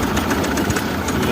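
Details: Mahindra Supro, over 100,000 km, code P0341-00 camshaft sensor signal error with wiring checked: rough, uneven idle with irregular knocks and stumbles; misfire from a camshaft position sensor signal fault.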